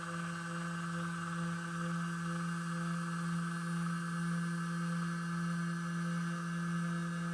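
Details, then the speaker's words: Two Trees TTC 450 Pro CNC router milling a velociraptor bas-relief: steady spindle hum with buzzy overtone as the motor cover vibrates and makes noise under cutting load; a more powerful motor could fix it. "मैंने देखा कि मशीनिंग के दौरान motor cover कंपन करता है और शोर करता है, लेकिन यह एक छोटी सी समस्या है जिसे अधिक शक्तिशाली मोटर लगाकर दूर किया जा सकता है"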